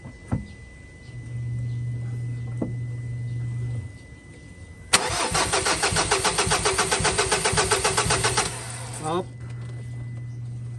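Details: Ford Ranger diesel, hot engine: low steady hum, then about five seconds of fast rhythmic cranking that fails to catch; hard starting when hot, long cranking; suspects include crank or cam sensor, suction control valve, rail pressure sensor, fuel pump.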